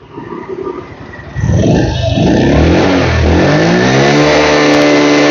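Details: Yamaha 50cc student scooter, nearly new at 6,551 km, brought in for weak battery and no electric start; after fitting (battery 12.8V), small single revs up cleanly from idle to steady high hum, no misses or knocks; charging just over 14V, normal.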